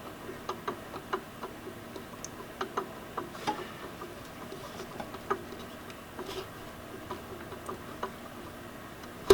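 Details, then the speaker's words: Nissan 240SX turbocharger checked by hand in the engine bay: light, uneven clicks about twice a second. The shaft has up-and-down and back-and-forth play knocking in worn bearings; the turbo still spins but is finished. "looks like it spins okay but there should not be any back-and-forth play making this sound she's definitely done"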